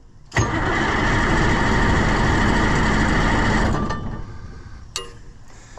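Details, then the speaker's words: White 4-150 tractor that cranks but won't run after sitting, tried again after redoing the battery connections: starter grinds about three seconds and never catches. Owner later thinks the fuel lost its prime. "I don't think that's what was doing it I think it just lost Prime for some reason"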